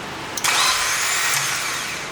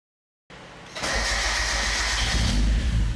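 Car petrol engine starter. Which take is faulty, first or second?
first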